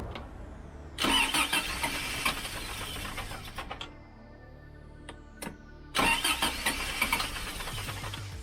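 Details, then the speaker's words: Freshly rebuilt Toyota 22RE, first start: two long cranking bursts, each barely catching and stumbling before dying. Distributor adjustment ran out of range; rotor set about one tooth off, to be moved one tooth clockwise. "almost i mean technically it's running sort of yeah i know that sucks let's try again now i'm out of room with the distributor there so it appears as if i didn't get the rotor quite set when i put it in initially so pull it out move it clockwise just a little bit roughly one more tooth"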